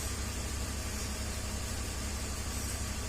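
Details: 2003 BMW 325xi (listed as 2004) at idle after an intake-manifold vacuum leak was sealed with a cap: a low, steady rumble with a faint hiss and no stumble. It had misfire codes 227/228 for control deviation; fuel trims now relearning down from bank 2 at 8%, bank 1 at 0%. Normal idle, no longer lean.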